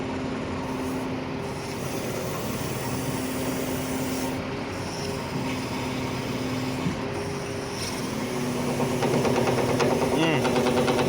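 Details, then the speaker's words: Piston-type hydraulic pump on a boom machine: engine drones under a wavering mid whine that comes and goes and climbs as the boom operates; abnormal noise traced to the worn main hydraulic pump. "kind of sound this sound so this hydraulic pump is the main problem if you have abnormal sound in your hydraulic system"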